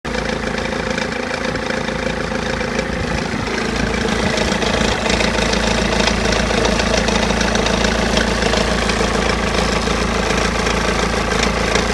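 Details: 2005 BMW E46 320d diesel, 73k miles, cold idle: steady uneven rattle about three beats a second, suspected misfire; quietens once warm, slight smoke pulling off; MAF unplugged no change; cause found to be failing crank pulley.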